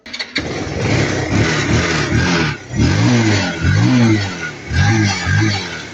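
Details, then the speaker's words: Kawasaki Rouser 180 motorcycle after carburetor float valve and rusty, water-contaminated jets were cleaned: single cylinder starts at once and revs cleanly through several blips; it runs again, fault fixed. "Ayan, so andar na naman siya."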